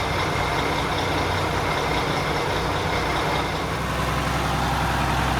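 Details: Mack Superliner diesel truck started after a long time, following cranking with the injectors cracked to build fuel pressure. It gives a deep, steady rumble with an even beat and no misses or knocks. The engine is running normally.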